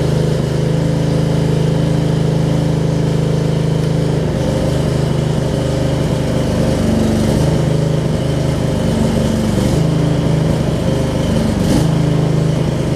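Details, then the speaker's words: Craftsman riding mower with Briggs V-twin, riding after shift hub and seized brake repairs; steady drone holding even speed with only small load dips, no misses or knocks. Normal running. "you can hear the motor spooned out after it got running we know that works"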